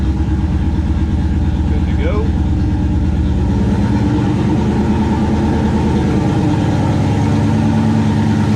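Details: 1969 Plymouth Valiant with stock 360 Magnum V8, Mopar Performance cam, Proform intake, TF727 transmission and GT45 turbo at 5 psi, running again after intake manifold refit; smooth, steady low idle, even beat, no knocks, misses or hunting; normal idle.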